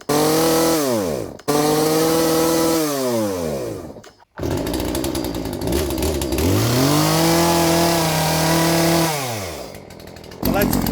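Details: Poulan 3416 chainsaw after fitting a new Hipa C1M-W26 carburetor for hard starting and stalling: revs up crisply, holds pitch as it bogs slightly cutting wood, drops back cleanly; runs strong and even.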